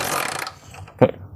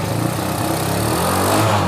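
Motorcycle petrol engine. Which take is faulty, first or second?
first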